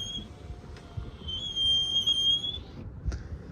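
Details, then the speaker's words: Pre-refresh Tesla Model X in Deep Blue Metallic, passenger door opened by its button: a high, thin squeal holding one pitch for about a second as the window glass travels, then stops; the power window squeaks. "pushing this opens up the passenger door the window makes a really squeaky noise"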